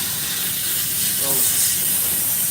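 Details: Truck trailer air brake system: a steady, sharp hiss of escaping air that never lets up, as compressed air leaks past an old drain petcock fitted to a new trailer tank. The petcock needs replacing.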